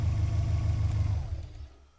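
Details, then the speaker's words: Car idling smoothly, then the mass airflow sensor is pulled out of the intake airstream: the idle stumbles and the engine stalls within about half a second because the ECU gets no airflow reading to fuel from. "well of course it's going to stall how else would the ECU know how much air is going into the engine so he knows how much fuel to put in simple"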